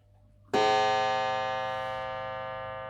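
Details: Mantel clock gong after checking the strike at the back: one clean strike with clear, even tone fading over about three seconds; now rings properly, normal.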